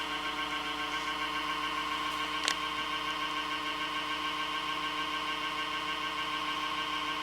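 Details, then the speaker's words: HP Media Center computer; power supply fan growing louder, constant whirring drone with buzzing whine and rough rattle underneath; failing fan suspected, unconfirmed. Noisy power supply fan. "Oh god, if I had my golf club, I'd just like to smash that fan in."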